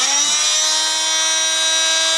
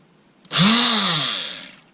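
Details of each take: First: Einhell oscillating multitool, cheap Chinese-made, after repair of a bad brush connection: loud, steady buzzing whine at one even pitch for ten seconds, then smooth wind-down; normal operation. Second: Einhell oscillating multitool, long-standing intermittent fault, needed tapping to restart: motor whines up sharply, runs about a second, then cuts out and winds down by itself; intermittent cut-out from a burnt brush connection.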